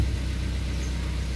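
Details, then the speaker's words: Car after flat battery from ignition left on two weeks: steady, even low idle with no misses, knocks or ticks; engine starts and runs normally. "Alhamdulilah mesin bisa nyala dengan normal tanpa ada masalah"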